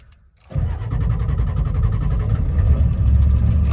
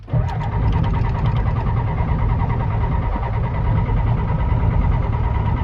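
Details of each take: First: 1992 Ford F250 IDI diesel, long non-running, with new batteries, in neutral: quick crank, then fires right up and holds a steady clattery idle without stumbling. Normal start. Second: 1992 Ford F-250 IDI diesel, flip truck, after new batteries, air filter, glow plugs and glow plug relay: steady heavy cranking over eight seconds, never catches; crank-no-start despite fuel, cause unconfirmed.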